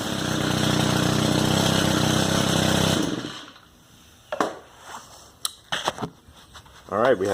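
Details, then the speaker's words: Stihl FS110R trimmer, previously bogging and not revving, after carburetor replacement: starts on the first pull, then gives a crisp, steady high-revving buzz held for three seconds without bogging. Normal running. "all right let's see if it worked all right fired on the first pool"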